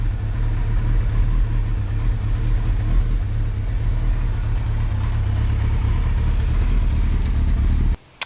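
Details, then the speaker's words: Suzuki Hayabusa after new spark plugs, cold start with the chokes pushed in, just over 1000 rpm: a deep, even exhaust rumble with no stumble, popping or misfire. The motor is said to sound much better with the good-quality plugs, so it runs normally. "it's good to go and you can hear the motor sound hell of a lot better just that's just SPL for you good quality SP"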